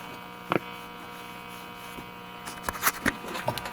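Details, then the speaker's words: Zenith 6D029 console tube radio, first power-up at about 80 volts, dial cord possibly broken: low steady buzzing hum under faint clicks; suspected failing 60 hertz filter capacitor; mains hum. "But it's making a little bit of a noise. It's got a bit of a hum."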